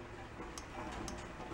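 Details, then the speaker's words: Garden tractor that died after a drive-belt change, with spark but no crank and no power at the fuel shutoff solenoid: 12 V jumper applied, two crisp clicks as the solenoid pulls in; working normally. "When I put power to that, it should make a clicking noise."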